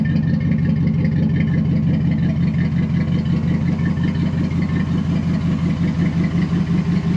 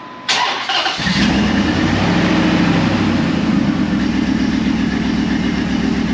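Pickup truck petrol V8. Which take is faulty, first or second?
first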